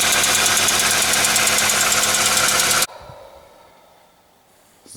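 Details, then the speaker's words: Hyundai/Kia G4ED engine running with a crisp, steady tick about three or four times a second; sounds like a failed hydraulic lifter, though not 100% certain as relatively new lifters were fitted (suspected factory defect). "Очень напоминает стук гидрокомпенсатора и Вполне возможно что действительно стучит именно гидрокомпенсатор"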